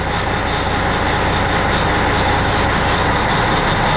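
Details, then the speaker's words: Diesel truck just reassembled after water pump replacement with one new heater hose, started cold at idle; oil pressure about 45, stop engine light went out. Even low rumble with no knocks, misses or hunting; normal cold idle. "my engine oil pressure is rolling at about 45 should go up a little higher as cold as it is it's just cold so it's just at an idle"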